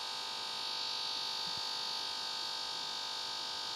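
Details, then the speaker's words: OnePlus One phone: a constant high buzzy hum with fine steady tones plays under game audio and also with YouTube and other apps. Lowering or muting the volume doesn't change it, pointing to a speaker or audio glitch. "if you hear that sound in the background this sound right here this is not supposed to happen it's not even part of the game"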